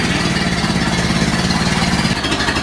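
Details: Ford Model A pickup, first start since reassembly, electric fuel pump, no fuel leaks: steady, even low chugging, regular beat, no misses or knocks; slight exhaust smoke. Normal idle.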